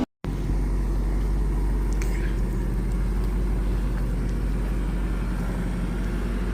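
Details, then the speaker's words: Chevy Caprice 4.3 engine after repairs: low, steady, quiet rumble at idle with even exhaust note, no backfiring or exhaust leak; transmission still needs replacing. "Can't even hear it running no more. Look at that. Not at front anyway. You don't hear the engine like that. No more backfiring. No more exhaust leak."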